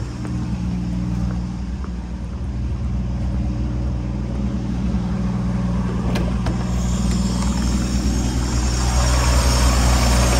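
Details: 1965 V8 after turn-signal switch and wiring repair, idling on choke after start: steady, even low rumble with a regular beat, no misses or knocks; later just over 190 degrees, charging 14 volts.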